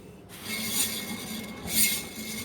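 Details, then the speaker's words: Fan motor with worn bearings: dry, rasping scrape over a low motor hum, surging about once a second as the fan turns; motor to be opened to check bearings one by one. "that's why we need to open this be uh fan motor bearings so need to all open one by one"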